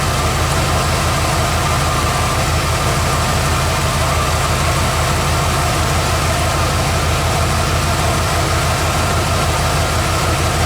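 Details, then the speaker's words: Bullnose Ford F150 V8 after carb swap and new low-pressure Edelbrock fuel pump and fuel line replacing the old high-pressure pump: steady, even idle with smooth low rumble, earlier scraggly noise (owner wondered if pinging) gone; normal idle. "so cool gonna be funny if that scraggly noise went away i don't really hear that noise anymore"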